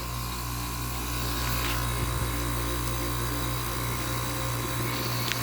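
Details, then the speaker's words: 1986 Kenmore 6,000 BTU window air conditioner with a rotary compressor, fan between speeds: a steady low hum with fan rush and no knocks, compressor seemingly running normally and blowing ice cold; the fan is slightly off balance. "this compressor dying it sounds okay i think i don't really know much about rotaries i think it sounds"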